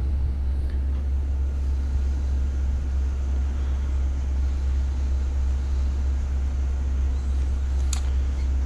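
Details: Takagi tankless water heaters cycling through modulation stages after altitude DIP switch raised fan speed 6%: steady deep hum with low vibration, no pitch change; low-speed fan drone, slightly quieter after change, cause suspected.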